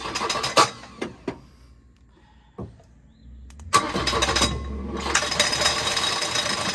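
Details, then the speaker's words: Volvo 242 retrieved from the woods, first start with uncertain ignition timing: cranking bursts then rough running with high squeal and clatter from a loose crank pulley. "It's running. That's running. We gotta do something with that crank pulley though."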